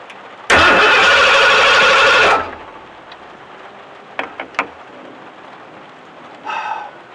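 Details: Bronco cold start in the rain after tightening loose cable connections, the cause of the no-start: short crank catches cleanly into a strong, even roar within a second or two, then drops away; healthy start.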